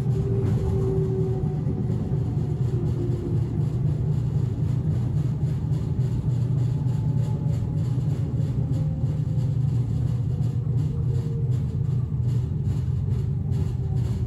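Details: Inside a moving 1991 S-Bahn Berlin BR485 railcar 485 112-7 on the S8, Schönfließ–Hohen Neuendorf: a heavy low rumble with a repeating thump that rattles the car, from a severe flat spot on a wheel.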